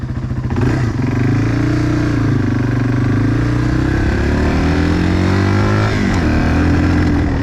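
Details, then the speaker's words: Yamaha 225XT dirt bike, warmed up, ridden on the street before carb cleaning; single-cylinder pulls on throttle but revs waver and sag instead of holding at full throttle, bogging, carb suspected. "How it kind of, when I give it full throttle, it just doesn't want to stay full throttle. You know, it just doesn't do good there."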